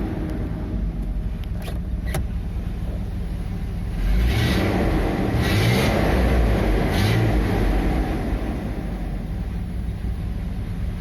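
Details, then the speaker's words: Engine just started, fast idle held high, after refilling with regular 20W-50 oil plus one litre of thinner oil to stop valvetrain/camshaft tapping: steady, even low hum with no knocking or ticking on top. Normal cold-start high idle. "acabei de ligar agora principal esse giro alto"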